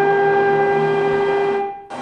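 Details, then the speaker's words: Industrial extraction fan fitted with aerodynamic inserts, which cut its noise by 22 dBA from about 95 dBA: steady airflow rush with a clear fixed tone and its octaves, no rumble or rattle; quiet, normal fan running. "so this is a modified fan looks the same as an unmodified fan cost them three grand a system is rather 35 grand"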